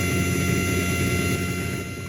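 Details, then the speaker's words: ISA sound card output (speaker out vs line out comparison) with recording gain raised to 22–30 dB; constant hiss over a steady buzzing hum, present whether cards powered or not; noisy output, cause not yet found. "And now you can see there is quite a bit of noise that's being produced."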